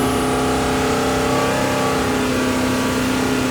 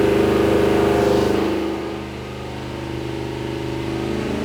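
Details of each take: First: Rebuilt Mopar big block 483 stroker for a Dodge Power Wagon, with a replacement distributor and timing set: strong, steady high-rev roar with a clean, even tone and no misses or rattles. Timing held as stable at 4,000 rpm as at 1,000. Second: Big-block Mopar 483 stroker for a Dodge Power Wagon, revving on the dyno: the note roughens and stumbles around 3000-4000 rpm. The timing mark bounces from 3000 rpm, and a misfire is heard.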